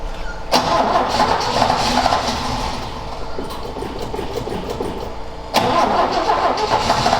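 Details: Ford XA Falcon long parked outside, choke not hooked up, after refilling the carb float bowl. Starter grinds it over at a steady churn, pauses, cranks again, never catching. Cause unconfirmed; owner suspects it loses spark.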